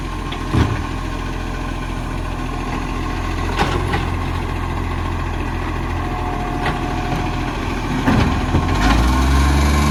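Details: Diesel garbage truck idling with a rough, uneven puffing and occasional sharp taps over the rumble; an exhaust leak is suspected.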